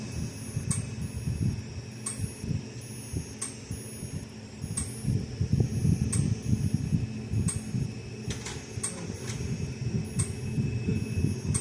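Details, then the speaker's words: Speedrite AN90 fence energizer on a 13 V power supply: its light flashes fast, but only faint sharp ticks come about every second and a half over a low hum, bunching irregularly near the end. The output pulse is weak and irregular. "it's clicking and flashing pretty not really clicking but it's flashing really fast so and I don't really hear much coming out of it click-wise"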